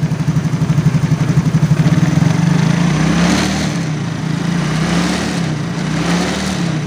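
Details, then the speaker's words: Yamaha X-Ride (Mio, engine code 54P) after replacing the worn piston and cylinder block: normal idle, and revved through the range that used to rattle, the note climbs and settles evenly with no rattle; repaired, healthy. "Udah halus ya, yang sebelumnya kan kretek gitu ya."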